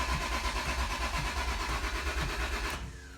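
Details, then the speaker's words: 1988 Acura Legend sitting 10 years, with a new fuel pump and a used replacement ECU just installed: brisk, even cranking at about three pulses a second, slightly faster than before, that stops without the engine ever catching. Crank, no start. "nhưng vẫn không có bắt đầu"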